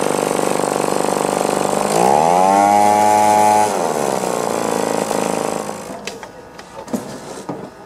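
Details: Echo PB-2520 two-stroke blower after carburetor refit: buzzes at an even idle, revs up cleanly, drops back smoothly and holds steady; normal idle and revving after repair.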